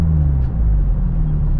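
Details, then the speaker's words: Vehicle driving on the road: deep, steady exhaust drone fills the cabin; owner attributes it to a holed exhaust, unconfirmed. "É isso aí pessoal a lagoa e esse barulhinho de Escapamento furado tá chato"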